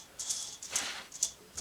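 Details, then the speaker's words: Pinion bearing on a Foxbody rear axle during assembly, spun by hand before oiling: a light, gritty, high-pitched rattle in short spins about half a second apart, a dry bearing noise that changes once oil is applied. "little oil on this bearing you don't want to stop spinning these things [ __ ] dry"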